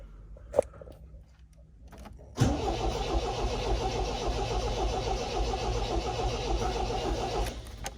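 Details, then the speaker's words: MGB GT after 20 years in storage, first start attempt after cleaning the fuel pump and fuel, with the choke pulled. The starter churns steadily at three to four beats a second but the engine never catches. Spark is weak; points need cleaning. "Nothing yet. It's a spark. Not a great one. Clean the point up."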